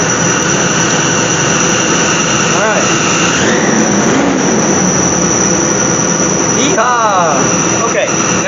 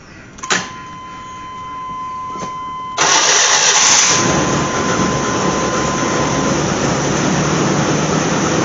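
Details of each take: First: Chevy/GMC truck started right after fuel pump and fuel filter replacement: sharp steady high-pitched squeal over the engine with whistles swooping up and down; source unknown. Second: Chevy/GMC truck first start after replacing fuel pump and fuel filter by dropping the tank: short crank, engine catches and settles into a steady, even run with no stumble or misfire; normal running.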